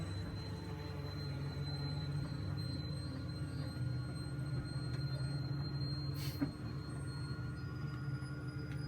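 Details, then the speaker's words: 2007 Itasca Suncruiser 35L motorhome, slide-out extending while the button is held until it stops; a low, even motor hum with no grinding, clicking or straining, so the slide-out is operating normally. "So I'm gonna hold that and you can see it's sliding out."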